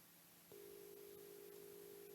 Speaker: So let's put filter 3 in, which is this one. I'll put the link on first so you can hear the buzzing.